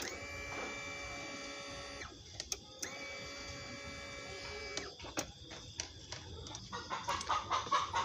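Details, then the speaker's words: Honda BeAT FI (first generation, separate regulator) that came in totally dead. At key-on with a new regulator fitted, the fuel pump hums steadily twice for about two seconds each: normal, whereas the old regulator gave only a vibration. "ada suaranya dengung seperti itu itu berarti si rotak atau Pam itu normal"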